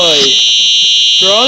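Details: Simplex 4903-9236 fire alarm horn on test, heard outdoors after fixing a faulty wire; loud, steady, high-pitched horn at full strength throughout, sounding normally.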